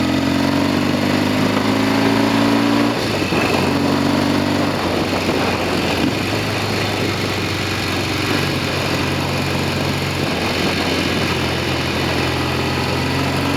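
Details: Norton Commando 750 road test after a rear wheel clunk fix and genuine Amal float bowls fitted to replica Amal Concentric carbs: twin pulls cleanly, pitch rising and falling with gear changes under wind noise; no rear clunks, running normally.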